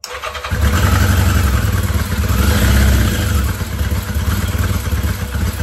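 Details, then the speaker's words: 1982 Yamaha Maxim 650 motorcycle, cracked fuel petcock hose found, starter wonky; catches within half a second, revs up smoothly and settles into an even, slightly high idle, running nicely. "so the starter was wonky on this but feels real nice honestly that idles up and feels nice"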